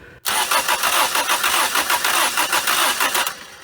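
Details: 1980 Dodge Colt Challenger (Mitsubishi Galant Lambda) after carburetor install, fuel in float bowl: starter cranks at about three compression pulses a second but never fires; crank no start, owner suspects internal carburetor fault.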